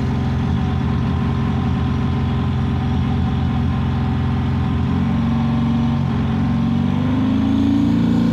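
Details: 7.3 PowerStroke diesel with blue smoke, loud clatter with uneven, choppy beat as it revs up near the end: missing under acceleration.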